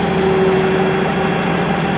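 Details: Toyota LPG forklift that wouldn't start: engine catches and settles into a steady, even low idle with faint constant whine; normal idle.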